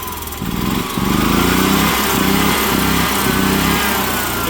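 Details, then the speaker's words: EZGO golf cart single-cylinder engine with a rebuilt carburetor and new fuel pump, belt off, transmission in neutral: it catches and revs freely in repeated blips without choke, settling smoothly each time; previously it needed choke and cut out. "push the gas pedal that's the carburetor I just rehabed it wouldn't do that before I had to choke it all the"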